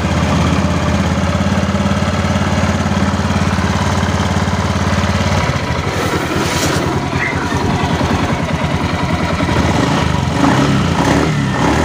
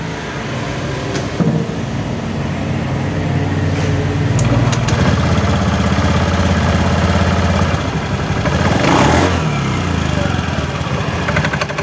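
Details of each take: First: Honda Beat FI scooter after fixing rough CVT clatter at idle: steady even idle hum, then a busier rattle as revs rise with no harsh grinding; original noise gone, CVT sounds normal. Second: Honda Beat FI scooter idling with a loose, uneven clatter of about four knocks a second from the CVT that roughens on blips; rollers found worn out of shape and oil seeping.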